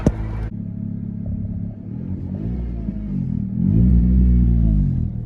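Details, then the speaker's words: Lowered Honda Civic ES1 after welding a new exhaust with homemade hangers: a deep, rumbling, raspy, uneven note swells as revs rise. Exhaust still leaks somewhere near the back by the tip. "it still sounds like ass because it leaks in a somewhere back here where you can see the tip now"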